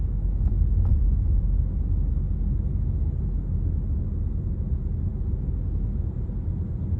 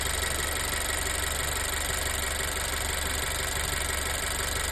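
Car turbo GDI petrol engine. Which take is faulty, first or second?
second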